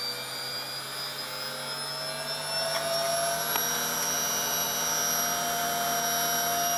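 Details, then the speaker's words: 1996 washing machine commutator motor after new bearings and brushes: smooth, steady high whine, even pitch, no grinding and no brush fire; slight bearing rumble, drum bearings may also need attention. "The bearings are rumbling a bit. I think that the drum bearings may need something as well, but there's no brush fire. It's all dark. Sounds good to me."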